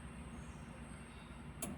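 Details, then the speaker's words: Maruti Suzuki Omni MPFI with cranking/no-start trouble, fuel pump refitted in tank; at ignition-on a sharp relay click over faint steady pump hum; normal fuel pump priming, engine then starts. "On ചെയ്യുമ്പോൾ തന്നെ ആ relay അടിക്കുന്ന sound നമുക്ക് കേൾക്കാം ആ പമ്പിന്റെ മൂളിച്ചെ നമുക്ക് correct ആയിട്ട് കേൾക്കാനായിട്ട് സാധിക്കും"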